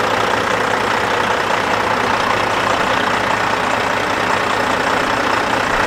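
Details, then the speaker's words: Kenworth W900 with a Cat 3406E diesel, first start after a new turbo, a new oil temperature sending unit and the oil pan were installed: steady, even idle with no knocks or misses, running strong. "well that's gonna do it for this video folks you're just actually circling the shop here now it sounds like it's running nice and strong"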